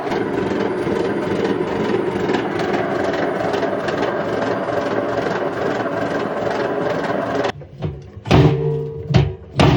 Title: Indesit IWC71453 washing machine || I’ve never seen bearings as bad as this on a working machine!